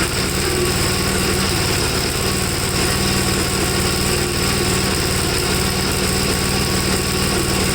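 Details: 1954 Gravely single-cylinder after carb cleaning; it runs rich, stalls when leaned, and has a black, fuel-fouled plug; steady loud thrum with a ragged, uneven note; owner suspects it is running too rich with both carburetors tried.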